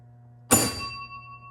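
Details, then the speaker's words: 1948 Chicago Coin Catalina pinball 10,000-point scoring bell after rag damper placed under it: one sharp strike, bright ring dying within about a second, shorter echo and quieter than before; normal chime. "now see the echo isn't quite as uh prolonged as it was before and it's a little bit quieter so I think it's a little better"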